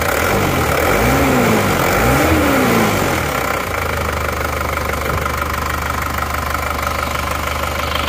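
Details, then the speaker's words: Isuzu Panther Touring diesel that broke down on the toll road after running out of coolant, idling just after engine rebuild and refit with transmission reinstalled, power steering not yet fitted; brief rev into steady even clatter, no knocks or misses, smooth. "Oke, mesinnya sudah terpasang kembali. Ya. Oke, tinggal memulainya saja. Power steering belum dipasang karena mereka meminta untuk diservis juga. Ini bocor. Beginilah bunyinya. Mulus."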